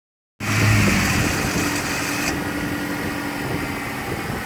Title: 93 foxbody 2.3l rough idle